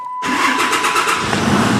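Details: After the starter is hooked back up properly and cranked under its own power: brief quick cranking, then it catches within a second and runs steadily; normal start.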